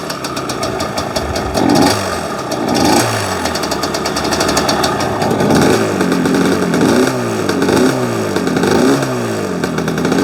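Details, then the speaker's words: Yamaha Banshee two-stroke quad: uneven, stumbling revs that blip and fall back without pulling clean; the left cylinder isn't firing and its pipe stays cold, suspected from an improperly installed spark plug boot. "still not great i think uh i think that one plug boot is messing stuff up because it seems like the the right their left cylinder still doesn't want to fire and the pipe is cold too"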